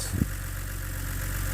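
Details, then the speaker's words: BMW E89 Z4 3.0 N52 straight-six (40,000 miles) warming at idle after a stuck timing chain tensioner was replaced. One thump at the start, then a steady, even idle with no timing chain rattle; healthy. "I do like that slowing down no rattle from the timing chain"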